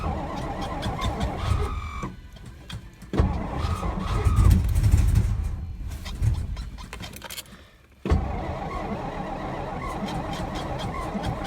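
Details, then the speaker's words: 1963 Studebaker Lark sat since 2010, weak battery: long uneven cranking bursts at about four beats a second with brief near-catches, no start; owner later realized the tank was on E and adding gas got it running. "Added gas to her. You can see in the gauge she's not on E anymore. I just realized that's the whole reason why she wouldn't run."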